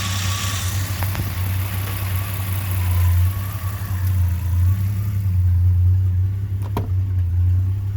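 Deep, lumpy idle with an uneven pulse and loping beat, no steady rhythm; this engine is idling rough, cause unclear.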